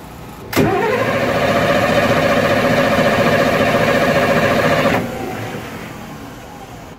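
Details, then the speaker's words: MAN 800 marine diesel on a 55 Ocean yacht, both engines quit: starter spins it evenly about three and a half beats a second without firing. The stop solenoid stays in stop so no fuel reaches it, meaning an interlock or permissive isn't met. "right so from there you can see that the stop solenoid stays in the stop position and the engine just cranks with no fuel so we definitely have some type of interlock or permissive that's not being met to allow the engine to start"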